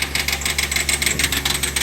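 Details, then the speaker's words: Hyundai Grand i10 idles fine but after revving to about 2500 rpm sticks or keeps rising on its own with heavy white smoke and injector tak-tak noise; engine held fast with quick regular ticking, idle speed stuck high. "இங்கே பாருங்கள், யாருமே வந்து operate பண்ணல, தானாகவே வந்து பார்த்தீங்கன்னா ஆக்சிலேட் ஆகிடுச்சு,"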